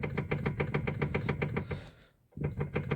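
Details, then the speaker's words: Lada Kalina steering column: quick hollow knocks, about three to four a second, as the wheel is rocked, worse over bumps or when stationary; tie-rod ends and ball joints fine, electric power steering unit suspected, not confirmed. "И у нас стук в рули. В рулевой колонке. Вот такие."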